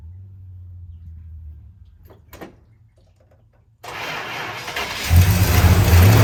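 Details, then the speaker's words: 1965 Chrysler 300 383 V8 after 17 years sitting in California desert, just revived on a gallon of gas to the fuel line: catches into loud, lumpy, uneven idle about four beats a second; smoke from leaked oil, holed radiator; owner suspects timing slightly off. "But it does run. That's the roughest it's ran though since I'"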